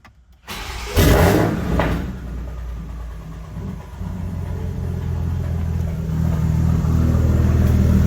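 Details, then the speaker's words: Big-turbo Supra with custom fuel system, first start after revising it for a low aux fuel-pressure code, on a battery tender: short crank, brief uneven stumble, then a firming idle; owner suspects lines still pressurizing. "That sounded weird for a second. I guess we just gotta get the fuel where it needs to be."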